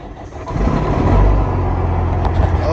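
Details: Freightliner Cascadia with a straight-piped Detroit 60 Series diesel, cold start in neutral: catches after a brief crank and settles into a deep, steady, loud idle through the straight pipes; clean, normal cold start.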